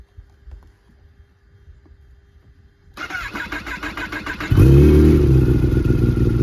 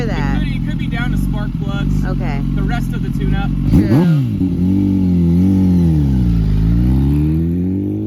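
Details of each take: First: Kawasaki ZX-10 roll-race sportbike, cold start before an oil change and first ride: quiet, then engine fires and settles into a loud, uneven, loping idle at about four beats per second. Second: Kawasaki ZX-10 roll-race sportbike on its first test ride, quickshifter working: engine climbs hard under throttle with sharp irregular pops and spits through the exhaust; misfiring.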